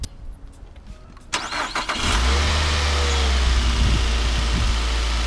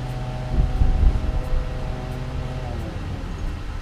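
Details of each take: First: 2007 Nissan Altima 2.5 L four-cylinder after coil packs moved, engine started and idling: slightly uneven stumbling beat; cylinder 3 misfire detected (P0303), originally P0302, traced to faulty ignition coil pack. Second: 2007 Nissan Altima 2.5 L four-cylinder after replacing the faulty cylinder 2 coil pack (code P0302): steady, smooth idle with no stumble or skip, running cleanly.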